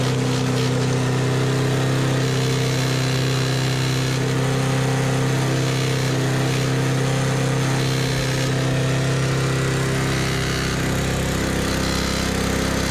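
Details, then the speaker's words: Used push mower with a spark plug found extremely loose: loud, uneven small-engine drone with a wavering beat that never settles to idle; it won't idle and runs rough. "It doesn't idle right. Oh. No, it doesn't idle at all. It never has idled in its life."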